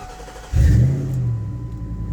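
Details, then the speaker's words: Ford F-150 4.6 after starter replacement for a no-start and slow crank: very short strong crank, engine fires at once and settles to steady idle; starter spins briskly and smoother, confirming old starter was the fault, normal start. "Oh, that's so much nice. Starter sounds much stronger, smoother. Before, it would always slow crank in the singing videos."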